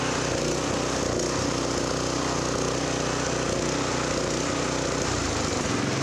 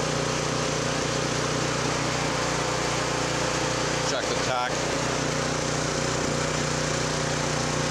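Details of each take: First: New offshore Honda GX-clone engine fitted to a Honda F501 tiller, throttle lever not yet fully open at about 3,800 rpm: steady high-revving drone without hunting; maximum-throttle screw to be tightened toward 3,500–3,600 rpm; maximum governed speed set too high. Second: Honda F501 tiller with new replacement GX-clone engine, unloaded, after slightly opening the carburetor pilot jet: even, steady note at governed speed, no surging or hunting; lean surge cured.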